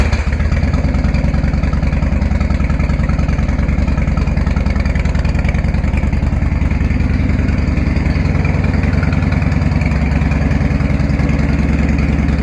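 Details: 1999 Harley-Davidson FLSTF Fat Boy V-twin, cold start on choke right after an engine oil, filter and primary oil change. It idles with a loud, even potato-potato lope and no ticks or knocks. Normal cold idle.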